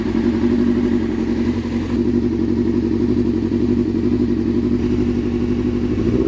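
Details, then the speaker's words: 1997 Suzuki GSX-R750 inline four at first start after valve seal repair, on choke: uneven stumbling beat, number one cylinder cold and not firing; probably fuel, stuck carb needle suspected. "So, it's still not hitting on number one. [Music] It's probably fuel."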